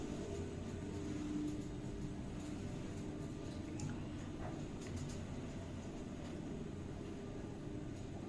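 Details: Schindler 5400 lift installed 2008, 1000 kg/13 persons, 6 stops; steady low hum with a soft, even rumble and no knocks, scrapes or jerks throughout the run, normal smooth ride.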